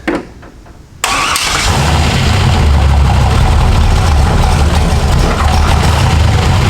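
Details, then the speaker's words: Ford F100 with swapped turbo LS1 V8, first start: brief crank, fires without throttle and holds a steady, even idle with no clinking or misses. "it i didn't touch the gas pedal it just rained and idled sounded great well so far not too bad no clinking sounds no fires no explosions nothing coming out of the exhaust"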